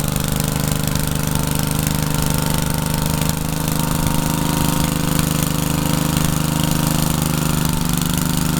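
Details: Troy-Bilt tiller test drive after engine rebuild, tilling garden: small single-cylinder pulls steadily under load with even firing, no knocks or misses.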